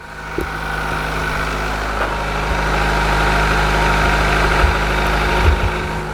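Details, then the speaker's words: 1991 Honda Accord CB7, first start after a valve lash adjustment, engine previously sounded like marbles; the start was briefly stopped by a breaker bar left on the crank. Smooth, even idle with no ticking or rattle, much smoother. Normal idle. "first start after a valve lash adjustment stop oh my God I forgot the bar on it send it way smoother so much better"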